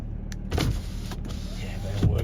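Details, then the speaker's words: 2018 Ford Ranger 3.2 TDCi 200 Wildtrak automatic, 59k miles: short, steady low motor hum as each window travels, starting and stopping cleanly with no grinding or strain; power windows work normally. "they all work spot on as well."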